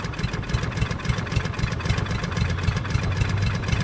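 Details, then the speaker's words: Craftsman push mower with a Briggs 550EX auto-choke engine on a fresh tank of gas: low, uneven putting about three to four pulses a second with stumbles and dripping fuel. A dirty carburetor with a stuck needle is suspected; sputtering, rough running. "so something's sticking the needle's probably stuck so it's sputtering"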